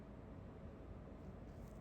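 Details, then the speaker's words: Pluggit AP310 house ventilation unit after replacing fan motor bearings (608-2Z/C3), previously noisy around 70–75 dB: running at full power with a soft, even whoosh, no rumble or scraping; quieter than before. "Running again with full power. Sounds more quiet to me."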